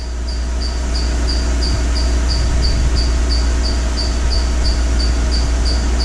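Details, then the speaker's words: 2012 Mercedes-Benz GL450, engine running while the air suspension pump raises the car after rear air spring replacement: sharp high chirps about three or four a second over a steady hum, from the drive belt; no air leak hissing heard. "I'm not hearing any hissing sounds. Ignore that chick chick sound, that's the belt."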